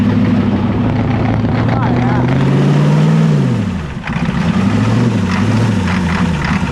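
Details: Old Ford diesel cold-started without glow plugs, using starting spray: it catches with a rough, uneven clatter, revs flare then drop, and it settles into a steady low idle. A normal start.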